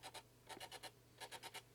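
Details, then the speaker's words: Canon EF 24-105mm f/4L IS USM lens with Err 01, zooming on the camera: faint, thin squeaks in quick bursts of two to four, mostly beyond about 50mm and gone around 35-24mm; aperture assembly suspected, flex cable often broken. "you probably can hear yeah and it's because inside here you maybe cannot see it uh I think it's difficult but right down there the aperture assembly"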